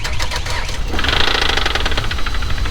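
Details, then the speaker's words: Just-bought auction car at start-up: rapid, sharp, regular knocking over the engine that sounded like possible rod knock, though that was doubted; it then stopped, owner guesses low oil and notes a slight misfire; cause unconfirmed. "that a rod knock that sounded like a rod not to me I don't know what do you guys think"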